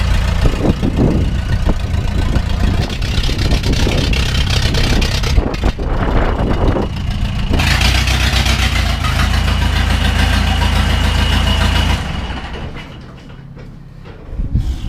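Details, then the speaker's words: 2000 Ford F150 with swapped Cummins 4BT diesel, no turbo, cold idle: steady, even diesel clatter at low idle with no knock, settling smoothly; engine sounds healthy. "but it runs it doesn't knock it sounds good yeah yeah yeah"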